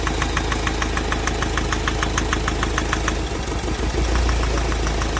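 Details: Mahindra Scorpio mHawk diesel, swapped engine: sharp metallic ticking knock about three a second at idle; compression of cylinders 2 and 3 okay, noise stops when cylinder 2 injector is disconnected; mechanic suspects seized piston.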